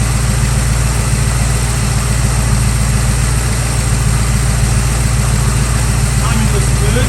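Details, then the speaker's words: 1965 Chevrolet Nova wagon V8 idling right after swapping the two-barrel Rochester carb and intake for a Holley 600 cfm four-barrel on an Edelbrock aluminum intake, float level just set: deep, steady, even burble; throttle response now restored; belt sounds slightly loose. "I think we're in business. Did you see that? Did you see that? I had throttle response. I'm super excited. That's way better than it was before."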